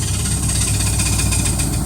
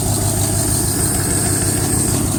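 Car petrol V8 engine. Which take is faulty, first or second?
second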